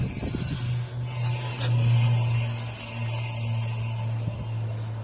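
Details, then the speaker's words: Audi S3 on jacks, rear wheel turned by hand: a continuous rasping scrape and squeal with a low droning rub from one rear side, while the other side sounds normal; a wheel bearing is suspected, with debris at the pad and a clunk also noted. "here's me s3 making some wacky noises squealing noise from the back"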